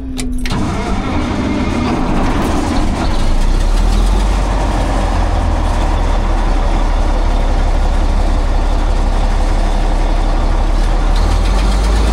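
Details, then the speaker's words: Cat 651B scraper repowered with a Cat C15 6-cylinder turbo diesel, with a low-power complaint, started from the cab: loud rough chuffing run with a raspy puffing edge. Sounds like a bad exhaust manifold leak, likely causing low turbo boost; fuel pressure and boost to be checked. "Sounds like it's got a bad exhaust leak. So, I'll check the fuel pressure and I'll check the uh boost first off cuz it could be a boost issue."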